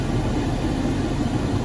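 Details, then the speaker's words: 2011 Jeep Grand Cherokee cabin blower after a blocked cabin filter was replaced; heard inside the vehicle, steady even low whoosh without whistle or strain, much quieter, airflow no longer restricted. "you can tell it's much, much quieter inside the vehicle."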